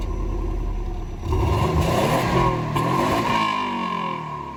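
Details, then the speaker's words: Free Subaru B4 (GTR owner's new car), stock exhaust before muffler swap: quick rev with a quiet, soft, muted note through the stock muffler; engine sounds healthy. "we'll just go ahead and do us a quick uh rev of the stock exhaust quiet but hey why not before and after comparison so let's get to it"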